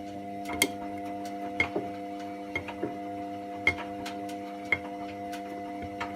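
Sharp clicks about once a second over a steady motor hum as the drum turns; clicking during the wash, cause not clear. Cause suspected, not confirmed.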